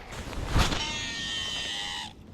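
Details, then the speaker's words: Ozark Trail baitcaster reel casting a frog lure: cast whoosh, then a high raspy screech for about a second and a half, likened to an elephant blowing its trunk; the angler says a reel shouldn't sound like that, though it casts far. "okay that sounds like an elephant uh you know blowing its trunk"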